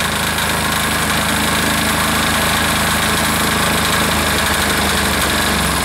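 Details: Air-cooled diesel engine just reassembled, steady even clatter at constant speed with no misses or knocks; normal running.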